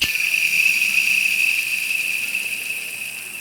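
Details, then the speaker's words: Hand-spun alternator/accessory belt pulley with many miles: shrill ringing whir that fades as it coasts down. Worn bearing, too noisy to keep, risking the alternator. "It's just making to me that's too much noise. I mean, if you can hear it like [Music] that, worst case scenario, you're going to lose your alternator with this."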